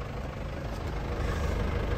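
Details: 2010 Isuzu Panther LS turbo diesel idling, heard at the exhaust: a short, deep, even rumble with no misfire beat or rattle. Exhaust smoke is clean, showing complete combustion, and the underside is dry of oil. It is idling cleanly.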